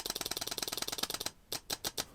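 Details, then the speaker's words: Relay bench test, with the microphone near the relay: a fast run of crisp clicks, then a few separate snaps as the coil energizes and switches a bulb standing in for the fuel pump; normal operation. "so that's the electromagnetic coil working and then if we add our separate circuit we mimic this pretending it's our fuel pump"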